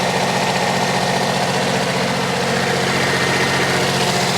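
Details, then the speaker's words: Generac diesel light-plant generator, bought cheap at auction, just started with starting fluid and charging at 14.30 V. Steady, even diesel clatter with no misses, surging or belt squeal, no blow-by; normal smooth idle. "Running like a sewing machine. Oh, and it does sound better. It cranks better. It sounds better running. There's no belt squeal."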